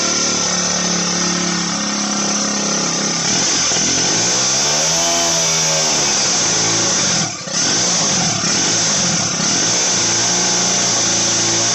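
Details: Motorized bicycle two-stroke, turbo version 4, after jetting fix: a high, buzzy wail like a dental drill that climbs and drops cleanly through the revs with no stumble or bog; runs properly.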